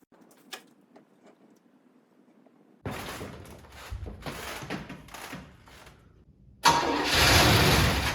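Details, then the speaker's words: 1979 Cadillac with 425 cubic inch four-barrel V8, parked about 10 years in a pole barn, new battery: a few quiet clicks, then strong even crank before it catches and roars up; normal cranking and start. "did you hear that she turned over no sweat with a new battery"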